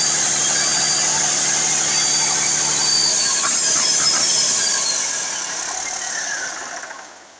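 Bright, even, fast clatter that holds steady, then winds down smoothly at shutdown; the rebuilt diesel runs cleanly with no knock or miss.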